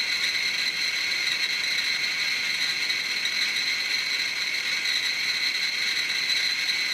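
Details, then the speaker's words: Chinese BR-6B Geiger counter placed directly on a strontium-90 beta check source: clicks merge into a continuous high-pitched rattle; counter overloaded, display pinned at its 99.99 µSv/h maximum. "and there we go the meter has reached its capacity so if you can see that it says 99.99 microsieverts an hour"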